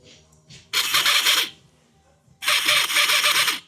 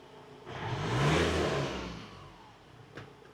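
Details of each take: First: Ford Transit EGR valve actuator bench-powered with a power probe: three short bursts of high, buzzy whirring, about a second each, with quiet gaps. The actuator had been sticking, would not run at first, and worked after a tap. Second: Ford Transit diesel after work to return the van toward standard, not mapped out: one clean rev swelling and falling smoothly, no knocks or rattles; runs much smoother than on arrival.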